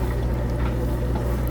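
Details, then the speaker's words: Miele washer drain test after pump work, where the old pump's impeller was poorly attached to the motor shaft and sand was suspected: stop pressed with a full tub, steady low hum with gurgling water, even as it empties fast; the drain pump runs normally. "Press stop, and you can hear the drains active, and it's getting rid of the water really fast."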